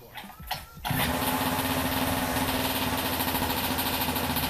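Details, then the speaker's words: Small two-stroke pocket bike, unused over half a year, catches after a couple of pulls and settles into a fast, buzzy, steady idle; runs normally. "so it works i will try to record one trying this but i don't know how yet"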